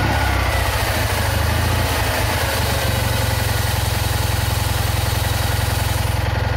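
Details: Citroën Ami 8 flat-twin, hot: uneven, stumbling idle around two to three pulses a second with dropped beats now and then; misfire the owner attributes to the ignition condenser.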